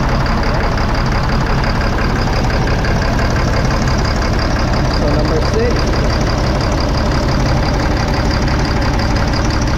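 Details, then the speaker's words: 2005 Fleetwood Discovery motorhome, Freightliner chassis, Caterpillar C7 diesel with low power, can't exceed 60–65 mph: lumpy, uneven idle with irregular stumble; cylinders 5 and 6 misfiring, no rpm change when unplugged, bad injectors. "all right we were gonna go ahead and shut it off so there you have it number five and six not working"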